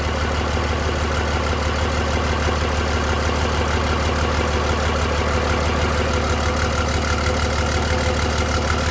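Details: 2003 Cummins 5.9 common rail diesel on a 3-wire hookup, out of truck before swap into an 87 Chevy K30, just after first start: steady even clatter at idle with firm low rumble, no misses or knocks; normal idle.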